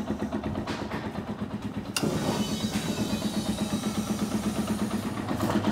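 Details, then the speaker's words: Small dirt bike started cold after carburetor work: catches, then a thin, slightly hunting idle; owner suspects the idle circuit is still a little lean, fuel screw to be adjusted and needs long warm-up. "see how it's it's much better than it was but it's definitely sounds like it might still be a little lean on the idle circuit"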